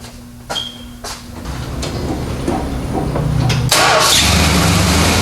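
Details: Rebuilt 318 V8 in a 1970s 4x4-converted Dodge Tradesman van, after correcting wrongly installed distributor wires: starter cranks briefly, then it catches and settles to a steady, even idle with a low regular beat; a healthy start.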